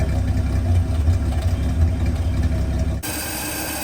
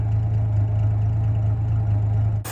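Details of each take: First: 1949 Studebaker Champion six-cylinder revived after storage, running on old gasoline after priming, cranking evenly: low lumpy idle with uneven loping stumble, smoking, small exhaust leak at the flapper; rough running on stale fuel. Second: 1949 Studebaker Champion flathead six, warm with radiator warm and temperature gauge mid-scale, at a very low idle after idle adjustment: low even idle with steady beat, no misses or knocks, all six cylinders firing; oil pressure low at idle.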